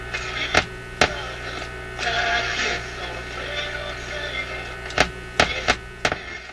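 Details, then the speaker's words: Zenith Y825 vacuum-tube AM/FM radio, idle on a shelf since working months ago, on restricted power near 120 V with outdoor antenna: steady buzzing hum with scattered crackles, no station or voice; powers up but receives nothing, cause unknown. "okay and what do we got what do we got nothing but a hum"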